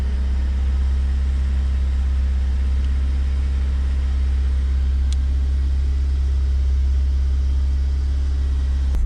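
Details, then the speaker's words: BMW E36 Compact M43 idling cold while warming up, after a new idle control valve was fitted with sealant and the MAF sensor was cleaned. Deep, low idle with an uneven, wavering beat of about three per second, struggling to stay running: a rough idle. "As you can see, it's a very hard start shaking. It's very rough. And now we're going to wait for it. Oh, it almost died."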